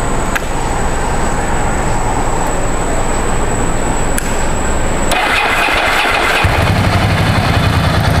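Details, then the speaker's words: 17-year-old Ducati 1000 DS V-twin, restarted to focus on the exhaust note: loud, lumpy idle with an even beat and no misses or stumbles; very loud enough to turn heads, healthy and touring-ready. "karena pas gua nyalain itu semua langsung ngeliatin gitu kan kayak apaan nih dan suaranya keras-keras banget bahkan lebih keras dari noda mantanku"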